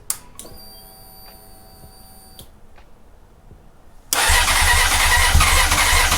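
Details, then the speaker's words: 2004 Honda CBR600RR on a cold start after a new throttle cable, fuel lines being primed. Clicks, whirr, then about two seconds of cranking roar that never catches. Hard start. "Okay, I heard it grumble a little bit, so it's definitely. Keep priming it. Might just be because it's a cold start, you think?"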